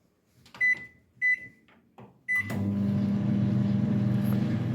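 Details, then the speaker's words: Microwave after repair of a screeching noise (fan assembly belt refitted): three keypad beeps, then a steady, even low hum with no screeching; normal running. "you see there's no more screeching sound now you have the perfect hum of the microwave but no more screeching sound"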